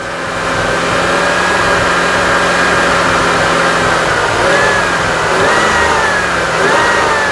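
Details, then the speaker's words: Misfire with faint whine and stumbling rhythm as crank sensor signal drops out, sync reading lost and short-term fuel trim climbing to about 20, lean condition; confirmed crank sensor fault, power, ground and wiring to be checked. "there's your lean condition bad misfire right now crank sensor signal saying no current sync is saying lost"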